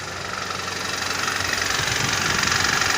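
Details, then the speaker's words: BMW E90 with engine knock: steady tractor-like clatter at idle, roughly three knocks a second over the engine note; owner suspects crankshaft bearing shells, possibly a spun bearing, not yet confirmed before teardown. "Тарахтит. Как трактор. В принципе, что это, я догадываюсь. Скорее всего, коленвал что-то с вкладышами или провернуло, скорее всего."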